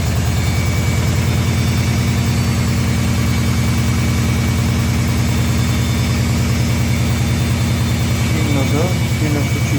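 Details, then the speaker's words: New Indesit washing machine on spin, heavy steady thumping about three times a second, drum hammering the cabinet, machine shaking and walking; cause: rear shipping (transit) bolts never removed. "О, вот стуки пошли, стуки есть. Сильно стучит, мне кажется, она сейчас подпрыгнет. Сильно шатает, так порошкоприемник открывается."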